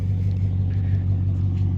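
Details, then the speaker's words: BMW 540i after water pump replacement and coolant bleed, heard from behind at the tailpipe after the first start and a rev: deep, even rumble, not much coming out the pipe, no smoke; exhaust sounds healthy. "From back here, it sounds good. Exhaust sounds good. Sounds like a 540. Not much coming out the pipe."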